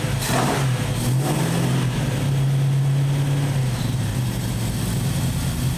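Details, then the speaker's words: 1968 Valiant ute 318 V8, running rough for weeks, after carb mixture screws set to one and a half turns: settles into a steady low idle and picks up cleanly on blips without stumbling; normal idle and revving. "well it's running a lot better well it's actually running"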